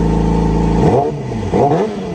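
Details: Yamaha YZF-R6 after repair and timing chain service: smooth even idle, then two quick clean throttle blips rising and falling freely with no rattle; healthy engine.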